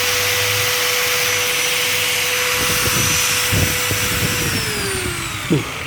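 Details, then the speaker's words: Angle grinder after bearing replacement, no longer wobbly: smooth steady high whir at constant pitch with no rumble or rasp, then a clean even spin-down; sounds like a new grinder, normal running. "nah Udah ada udah nggak ada bunyinya kokoh cakep padat enak gitu apa namanya nggak koplak kayak gerinda baru lagi"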